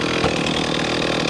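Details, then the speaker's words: Stihl MS311 chainsaw after rebuild with Chinese piston and honed cylinder following burn-up, fresh fuel mix for break-in: fires up and runs with a crisp, even two-stroke buzz at steady high pitch, no sputter or misfire; chain somewhat dull. "that's a success listen to that I'll call that a success it fires up it run"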